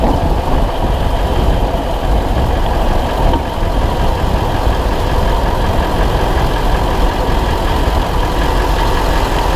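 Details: 2000 Ford F250 7.3 diesel, GoPro spring-mounted, on a ride: fast steady tick over the deep clatter, keeping time with engine speed, from an exhaust leak.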